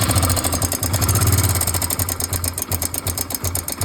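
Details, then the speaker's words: Hero Glamour motorcycle engine at idle; fast, even ticking rattle about three to four per second, timing chain tensioner/adjuster failed so the chain cannot stay tight; tensioner removed. "उस time होता क्या है? Timing train का जो adjuster है tensioner यह fail कर जाता है। जिसके वजह से टाइमिंग टन टाइट नहीं हो पाता है। और इसी के वजह से इस तरह का साउंड आता है।"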